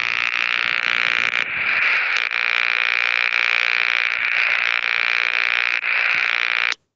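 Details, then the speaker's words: Harsh, raspy radio-receiver buzz caused by a light dimmer. The noise stopped with the dimmer turned all the way on or all the way off. "we turned that dimmer all the way on or all the way off then it was noise free"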